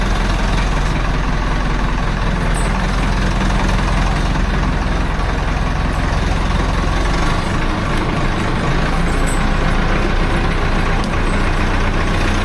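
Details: Farm diesel started after block heater, above-freezing weather after two months of frost: deep steady rumble holding an even idle, no misses or knocks; healthy cold-start idle.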